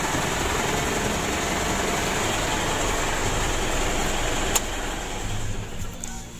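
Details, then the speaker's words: Mitsubishi Pajero Sport Exceed diesel, engine cold, vibrating: harsh, rapid, uneven rattly clatter at idle over the diesel drone. Rough engine noise; mechanic suspects a bearing, the timing adjustment or the tensioner, camshaft still to be checked. "Dan kita dengar itu memang betul ada suara kasar pada mesinnya ya Menurut saya ini ada masalah pada dirinya bearing setelan demi modelnya atau tensionernya"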